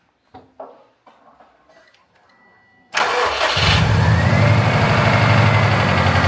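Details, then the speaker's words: Subaru WRX after oil change with BG EPR flush and MOA additive for oil consumption: brief crank, then steady, even idle with no ticking; sounds better than before. "But it already sounds better, doesn't it? >> Yeah, it does."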